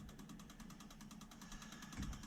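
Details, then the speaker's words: Engine off, Link ECU Atom software injector test on the 1UZ-FE V8 jetboat that was running on 6 cylinders gives crisp, evenly spaced ticking at about ten per second from an injector; all injectors work, so a broken wire is unlikely. "number three they all work which doesn't point to a broken wire if all the injectors work okay"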